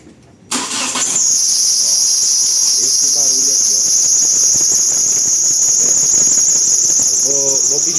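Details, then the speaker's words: Hyundai Tucson at start-up after belt replacement: loud high steady squeal; retensioning the power steering pump belt didn't fix it, loose alternator belt slipping on its pulley found. "vamos tá dando partida aqui no carro para vocês ver o barulho que faz na"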